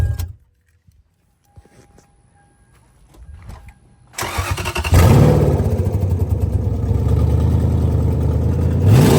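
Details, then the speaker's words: 2001 Lexus IS300 with 1UZ V8 swap and automatic, immobilizer reset, first start: silence, a short crank and quick catch, then the engine settles into a smooth, even rev with steady throttle response, running great; a leaking injector suspected. "I'm going to crank the car up so that you can actually hear it run like it's supposed [Applause] to and it's running freaking great"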